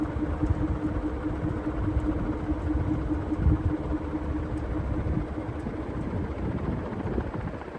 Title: Clipsal ceiling fan annoying ticking sound